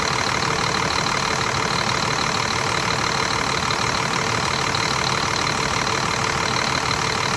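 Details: Scania R400 DC12 diesel after a rebuild for an engine knock, with new liners, pistons and camshaft, idling: a loud, even clatter with no knock standing out, and it runs smoothly.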